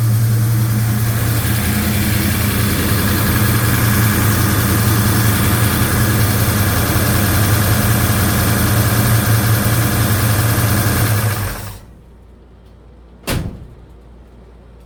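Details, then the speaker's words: 1956 Chevy Bel Air 307 V8, first start, hydraulic cam with the previous lifters: a sharp, even ticking over a lumpy idle, loudest at the back of the engine. Owner suspects valve lash and may pull the rocker covers. "Yeah, it's very loud. Very, very loud. I wonder why. I might have to pull pull uh rocker covers off and check the valve lash."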